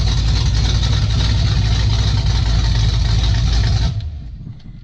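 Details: 1995 Ford F150 with a fresh 347 stroker V8 on its first runs, carburetor still needing adjustment; oil pressure is present. It lumps along unevenly, sags and barely stays running. Cause unclear.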